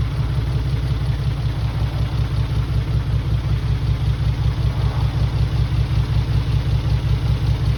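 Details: Mitsubishi 3000GT VR4 new engine, first start with old sat injectors: low lumpy idle with an uneven pulse, one or two cylinders likely misfiring; owner suspects dirty injectors, not confirmed.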